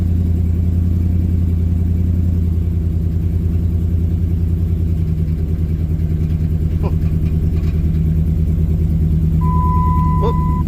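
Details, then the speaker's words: 2007 Dodge Ram 1500 5.7 HEMI V8 idling after coolant temperature sensor replacement and throttle control disturbance: uneven, stumbling beat with irregular low pulses; random misfire, cause unknown, to be checked with OBD2 scanner. "Okay, something's going on. That don't sound good."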